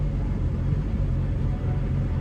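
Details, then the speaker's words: Subaru Sambar kei truck: low, steady idle rumble with no misses or knocks, fairly even though not perfectly smooth; idle improved but not yet perfect, normal idle. "It isn't perfect yet but it has gotten better"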